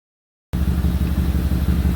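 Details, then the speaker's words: 2008 Audi Q7 4.2 V8 idling with a rapid, even low puffing: an exhaust leak at the left catalytic converter from a failed expansion joint; the engine also has a history of startup misfires. "It's got an exhaust leak, as you can hear. There's a catalytic converter on the left side because the expansion clutch joint has failed."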